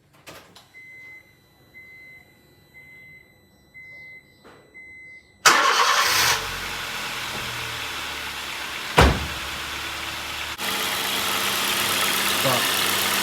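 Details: Honda Jazz/Fit 1.4 i-DSI after replacing the auxiliary drive belt and pulley: door chime, then the engine starts and runs steadily with the cooling fan whooshing; no belt squeal or chirp, normal running.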